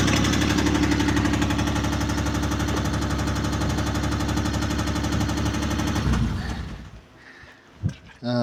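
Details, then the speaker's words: Isuzu 6VD1 V6 after cylinder heads were removed and head gaskets replaced: fast, even ticking knock about four per second over idle, seemingly from the top end; owner unsure if hydraulic lifters or something worse. "вот вопрос что это гидрокомпенсаторы или или что-то плохое"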